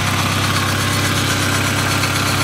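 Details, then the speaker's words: 1997 Jetta GT cold start: smooth, even idle with steady low drone and no ticking, knocking or stumbling; healthy engine running cold. "oh well take a look at the engine cold start engine running cold"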